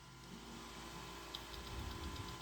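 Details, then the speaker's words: Macintosh SE internal hard drive after its broken Molex connector was resoldered. A quiet, steady whir as the drive motor comes up to speed, with a few faint ticks, then seeking and booting. Normal hard drive spin-up. "all right so I do hear the hard drive spin"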